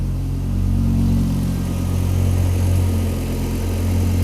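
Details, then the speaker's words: Car after swapping in a replacement alternator, idling with the battery now charging at 13.6–13.8 V; drive belt being checked: deep, steady lumpy idle with no belt squeal or chirp; normal idle. "Mingisugust loperdamist nagu ma ei tea, minule tundub, et käib täitsa otse."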